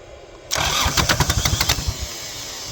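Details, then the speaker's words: Kubota L3450 diesel tractor, abandoned for years: about ten quick cranking chuffs, then it catches and settles into an even idle with no knock, a clean start. "okay we'll try one more time it starts up and runs we'll leave it like"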